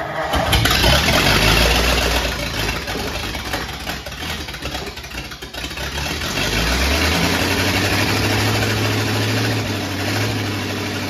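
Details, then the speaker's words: 1950 Ford F1 flathead after engine reinstall, run briefly before adding coolant: catches and settles into an even, steady idle, picks up smoothly, no longer popping and sputtering as before; normal idle. "okay it ain't pooping and sputtering like it was"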